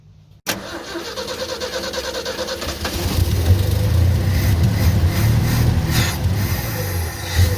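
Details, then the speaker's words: 1965 Ford F100, off the road since the early 90s, after new coil, points, condenser and fuel pump: starts on the key, catches quickly and settles into an even, steady run with firm low rumble, no misses; normal start and idle. "a little bit of progress we've got the fuel pump on and guess what it runs great i even got to start with the key"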